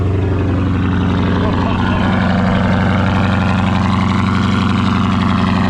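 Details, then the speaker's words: V8 with aftermarket intake at a dealer auction: deep, even burble holding a steady idle with no misses, knocks or ticks; healthy-sounding engine. "Yes, that is what I'm talking about. That is a healthy sounding motor."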